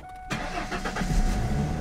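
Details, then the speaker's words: Car or truck exhaust just after leaks were sealed without welding using exhaust putty, tape or clamp: quick crank catches and settles to low quiet idle, no puffing or ticking, no longer loud; normal exhaust. "یہ بہت خاموش ہے، میں راستہ نہیں سنتا اور اب اس کی آواز بلند نہیں ہوتی"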